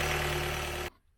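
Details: 2012 Kia Sportage 2.0 CRDi diesel (136PS, AWD automatic), after replacing glow plug plate 367202F000: short burst of steady, even diesel idle with no stumble or rattle, then it cuts out. Engine running normally.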